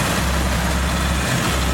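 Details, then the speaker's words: 1982 Ford Cortina TE Mk4 80, carburetor engine, just started after filter and clean oil change: low steady smooth idle, no knocks or rattles; quiet and healthy. "we'll have a listen reach in it starts quite easily pretty quiet"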